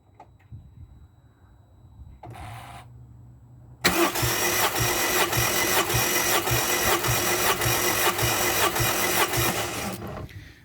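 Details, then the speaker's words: Rover 75 1.8 K-series compression test, plugs out, cam belt job: after a short burst the starter cranks steadily and evenly at about 105 beats a minute with no uneven cylinder beats. All cylinders read just over 100, so compression is even. "and the reading is um just over the hundred right so that's our little compression test done"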